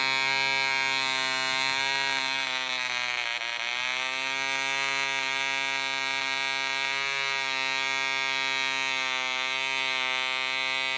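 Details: DC Spitfire 1cc model diesel on an 8x4 prop, D2000 fuel: high screaming buzz sags around three seconds, climbs back and wanders, uneven running as the loose needle valve rotates and the compression screw winds itself out.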